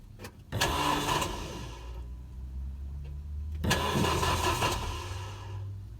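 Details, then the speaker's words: Renault Megane RS Cup 225 after installing a new eBay fuel pump assembly (3.5 bar regulator): two cranking bursts, each briefly catching into an even run, turned over without idling to prime the pump; normal start. "Just trying to prime the pump kind of here, so I'm just turning it over and trying not to let it idle straight away at the moment."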